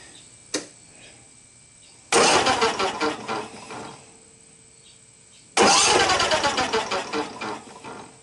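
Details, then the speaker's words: Simplicity 72-inch zero-turn mower, 27 HP two-cylinder air-cooled Briggs & Stratton, under 130 hours, oil low, quit while mowing; crank turns but valves and pistons don't appear to move. Two fast light free-spinning starter bursts, no compression thump; suspected thrown rod, broken cam. "but you don't hear anything i mean it just turns easily and the crank's turning on the bottom but your valves are not moving and it doesn't appear as if the pistons are moving"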